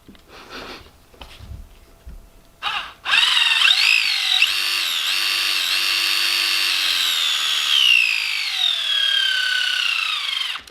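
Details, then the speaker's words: Gmade Komodo GS02 Double Cab RC crawler, drivetrain under load: high, thin whine climbing with motor speed, with a burning-plastic smell; spur and pinion mesh suspected, while the gearbox was found clean and slick. "well i might need to investigate the spur in the pinion mesh a little bit better um because that's although i expected that it's worse than"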